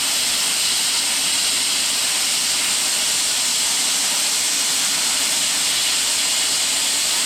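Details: Plasma cutter (new Jegs unit) cutting cleanly at maximum setting after earlier attempts seemed to backfill; steady, even, high-pitched hiss with no sputtering or breaks: normal plasma cutting.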